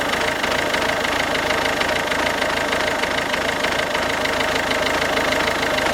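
A steady diesel idle with a hard, fairly regular knock at about two per second riding over it. Abnormal knock, cause not yet pinned down.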